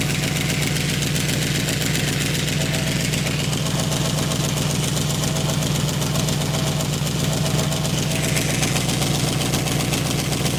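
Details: 1995 Chevrolet Caprice V8 at idle: a fast, loud puffing tick about four per second over the low rumble, from a bad exhaust leak at two spots. Some unidentified fluid was also seen; owner is unsure whether to fix the leaks or replace the exhaust.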